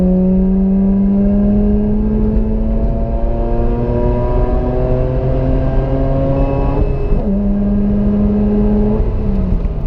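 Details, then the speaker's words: Rebuilt Mazda RX-8 rotary engine: a smooth, buzzy rotary note climbs cleanly through the revs, drops on the shift and pulls again, sounding strong and healthy. "It got rebuilt. And when it got rebuilt, my god did I give that car hell."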